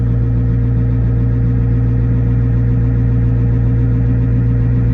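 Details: GAZ 66 truck recommissioned after winter, started with a little choke, idling as main tank pressure builds: deep even idle drone, no knocks, misses or rattles; normal idle.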